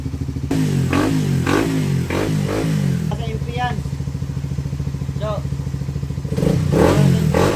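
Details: Suzuki Raider Fi after clutch housing repair for a clanking noise: the single-cylinder engine idles and blips cleanly through several revs, with no rattle or knock from the clutch side. The clutch is now quiet.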